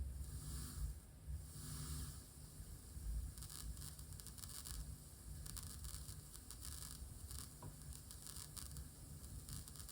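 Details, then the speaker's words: Tascam LM-8ST mixer, left channel through speaker: irregular crackling and popping over low hiss when turning master ST1/ST2 or single-channel volume pots; happens regardless of cable or monitor (Adam A7X, Presonus R65), cause unconfirmed. "You can hear the cracking, popping noise as well. You can already hear it on the single channel, but on the master for sure."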